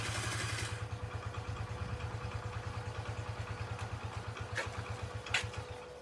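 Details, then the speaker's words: Chinese 50cc Geely scooter that sat unused, barely idling with a low, lumpy putter about three beats a second, uneven spacing and a faint hiss. The carburetor was later found not sealed on the intake boot; a rough idle. "carburetors gonna have to come off and I can't believe it's kind of idle"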